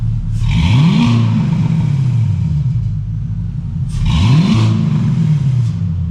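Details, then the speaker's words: Pontiac Trans Am with LS swap, long-sitting, new Black Widow exhaust and block-off plate: two clean rev blips over deep V8 rumble, tick going away as oil pressure comes up, no rattle; normal revving. "And the tick's going away, so that's good. We're getting oil pressure. But listen to this. Sounds good, dude."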